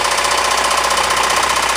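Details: Rod knock on a Ford 2.3L engine in a Mazda Tribute (Ford Escape twin): loud, hard, rapid metallic knocking dominating the running engine from a badly worn No. 2 rod bearing, with a stepped lip worn into the crank journal.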